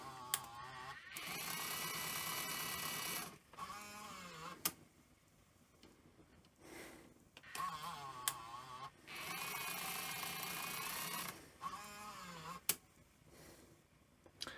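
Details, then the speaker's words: Sony EV-S700 Video8 deck (about 1988) after reassembly: sped-up, squeaky, warbling tape audio in quick bursts, like fast forward during play. The capstan is running full speed with the pinch roller pressed against it; rewind works. Cause not yet identified. "yeah so the cat stand is running like full speed when it shouldn't and the pinch roller is being um pressed against Capstone"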